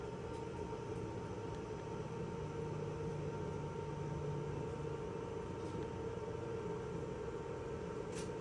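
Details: Whirlpool/Maytag dryer brought in as not heating, run on a 120 V jumper lead without 240 V, after vacuuming and blowing out: steady, even drum rumble with constant motor hum, no thumping, slipping or squealing; sounds healthy.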